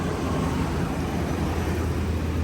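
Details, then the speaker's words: Ram 1500 5.7 HEMI at idle after resurfacing warped exhaust manifolds, replacing gaskets and removing broken studs; deep, even rumble with no exhaust manifold tick left, no leak heard; normal idle after repair. "All right, I got everything bolted back up, so I'm gonna go ahead and start it now and check for leaks. Okay guys, as you can hear, it sounds a lot better"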